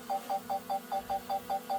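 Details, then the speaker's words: Beeping right after takeoff from a new DJI Mini 4 Pro drone at about 50% battery; sharp high-pitched beeps, about five per second, steady, getting worse when descending; owner suspects a proximity sensor warning of being too close to something. "so I don't know if you can hear that but you can hear like a a beeping noise I guess that's a bit like a sensor that's telling me I'm too close to something so if I come down that beeper noise gets worse"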